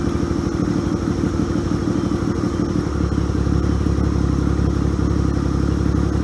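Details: 1978 Yamaha XS750 Special, first start after a 3-week revival, kick-started cold on choke: starts a bit ragged, then settles after three seconds into a deep, steady idle with no misses; normal running.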